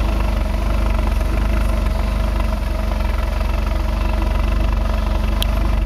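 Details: 2005 Ford Focus 2.0 Duratec at idle, recorded right after fitting new Autolite AR103 plugs gapped to .055; low, uneven idle throb about four beats a second with a wobble. It seems to run lean; exhaust leak, plugged cat or bad O2 sensor suspected.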